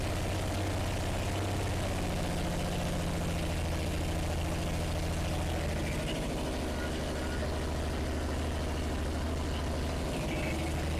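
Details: 1970s Plymouth Duster with freshly installed Slant Six, first fire-up after carburetor rebuild: deep steady idle with even low rumble, no knocking or loud valve tick; runs really good.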